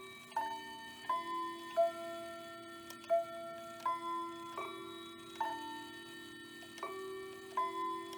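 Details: Hamilton bracket mantel clock from an estate sale (movement doesn't run, chimes work), viewed from the back, 15-minute chime: a clean sequence of evenly spaced ringing bell notes under a faint steady tick, playing properly.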